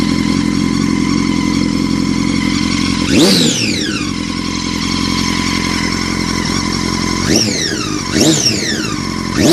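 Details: 2006 Honda CBR1000RR: a high whine over the engine sweeping up sharply with each rev; bike felt held back, hard to shift and hard to move in gear even with clutch held, rolls freely in neutral; cause unknown.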